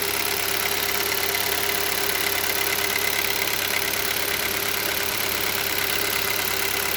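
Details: Hyundai Solaris 1.6 cold start: steady, fairly even light tapping about two per second over a bright busy engine hum at cold idle; engine knock when cold, cause unknown.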